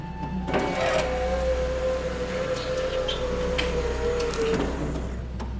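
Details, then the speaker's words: 90s BMW E39 driver's power window after fitting new glass, having shattered from a missing regulator grommet: clean, steady motor hum about four seconds, glass travelling smoothly, no grinding or binding; works properly. "so here I am fitting a new window and as you can hear here there was a lot of glass [Music] everywhere well hey it works"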